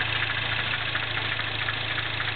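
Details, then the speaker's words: 2008 MINI Clubman S, turbo 1.6, 6-speed, Magnaflow cat-back exhaust, cold idle, hood open: quick light steady ticking knock over the engine; owner suspects valve tap or something with cam timing, not confirmed. "and then you of course you got some kind of lifter well actually this is probably overhead C you have some kind of valve tap or something going on I don't know"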